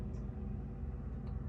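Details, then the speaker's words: Samsung RF26HFENDSR/AA refrigerator after melting ice buildup in the ventilation system with warm water and reconnecting the fan wires: soft, steady low hum with no ticking, scraping or stalling. Normal evaporator fan operation. "You can hear the fans, the sound of the fan. The fan is working properly."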